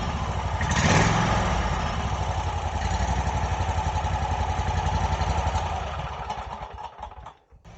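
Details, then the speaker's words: Wright Stander ZK mower after a stripped, broken engine bolt thread repair: started with a little choke, it revs briefly, then settles into an even, steady putter with no shake or rattle. The exhaust rattle is fixed. "that sounds a lot better than it used to and the um and the exhaust is completely fixed now"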